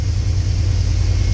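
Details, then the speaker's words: 1989 Chevy Silverado after replacing coolant temperature sensor that caused no-start: started right up with no pedal despite weak battery, deep, steady low idle with even pulses, no misses or stumbles. "woo that started right up like right up battery was a little weak I don't know why the Charger's been on it that's that's the best it started this whole"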